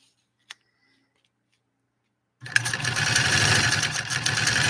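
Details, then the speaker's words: 3/4-size Singer 128 vintage sewing machine after motor reinstalled: silence, then fast even whir that keeps running steadily with foot off the pedal; motor runs on when it should stop, cause not confirmed. "see I had my foot off and it kept going it kept going and going and going like the Energizer rabbit"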